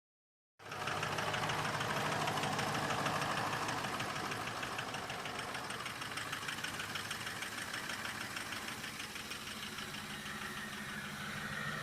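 Steady fast diesel idle with even clatter and a faint whistle riding on top; sounds healthy, turbo spooling normally.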